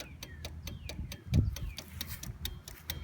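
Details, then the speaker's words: 2009 GMC Sierra 1500, LED strobes wired into the reverse lights through relays: crisp, steady relay clicking about four or five per second over a low rumble; this is normal. "gonna hear the relays clicking and that's normal"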